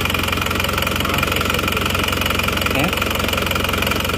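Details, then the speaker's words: Isuzu Panther diesel just started cold after new cylinder liners replaced a compression leak that only caused smoke at the oil filler cap and dipstick; even, rapid clatter with steady rhythm while warming; normal cold idle. "Oke ini mesinnya sudah hidup sekarang kita coba Sebentar ya"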